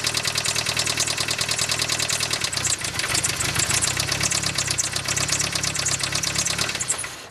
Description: Lifter tick on my 1999 mitsubishi eclipse